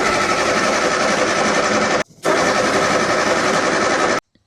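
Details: 1965 Austin Healey, neglected for years, with choke: steady fast cranking that never catches, a brief pause, then more cranking with no firing. Owner suspects insufficient fuel pressure.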